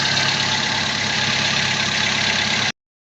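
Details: 2017 car with a crank-no-start, fixed by replacing a faulty relay: engine starts and settles into a steady even idle with no misses or knocks before being switched off.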